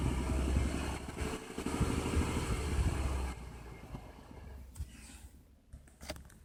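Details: 2015 Ford F-150 V6 Ti-VCT engine, idling then blipped: loose, uneven tapping about three per second over the engine; knocking noise of unclear source.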